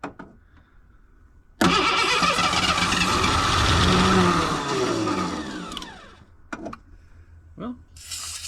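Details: Ford Bronco II with fuel-injected 2.9, sat in a field since 2001 with a bad fuel pump: starter cranks, engine catches, probably on starting spray, surges and revs, then fades and sputters out. Hard start; owner suspects gummed-up injectors.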